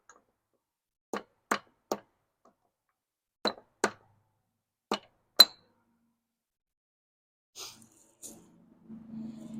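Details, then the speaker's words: 1993 Harley-Davidson Sportster 883, sitting about 15 years, on a booster: single sharp clicks in groups of two or three with no cranking; starter solenoid suspected shot, not confirmed. "Huh. Sounds like the starter solenoid is pretty well shot."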